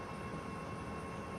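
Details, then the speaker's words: Midea 9000 BTU inverter air conditioner, bought December 2024, outdoor unit running normally at 16°C, max fan speed, with a steady even hum and no rattling, after 40–50 cm copper piping was replaced with the manufacturer-specified 3 m. "agora tá tá funcionando certinho 16 gra lá velocidade máxima tá funcionando certinho"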